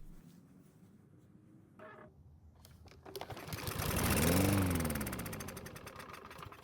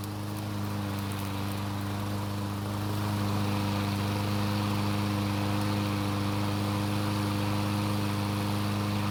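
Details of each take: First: Almost new Troy-Bilt push mower that would not start, with gasoline poured into the carburetor throat. It catches after a few pulls, revs briefly, then fades and dies; it runs only on the primed fuel, so ignition works and it is not worn out. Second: Six-year-old Troy-Bilt mower that wouldn't start, after draining water from the gasoline and flipping the blade: starts and runs with an even, steady drone, no misses, surging or knocking; runs smoothly and healthy.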